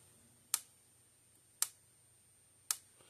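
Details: 2012 Blitzer (Zareba) 25 mile fence charger repaired after no output voltage, tested with no external load on meter: sharp single snaps about once a second, evenly spaced; reads about 7.6, right around the desired 8,000 volts, pulsing properly.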